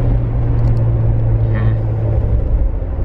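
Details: Interior cabin sound of a Jeep Unlimited 4-door 3.6L V6 with a Magnaflow 15117 Competition Series exhaust, after a new tailgate was fitted: a steady deep exhaust drone with no rattle or loose-panel buzz from the rear; normal.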